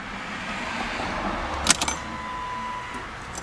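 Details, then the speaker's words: Fox-body Ford Mustang after installing new K&N fuel filter: key turned to on to prime the fuel pump; faint steady high-pitched whine from the priming pump, normal, deepening on repeated key cycles. "so just turn the key to the on position to prime the pump and you'll even be able to hear it"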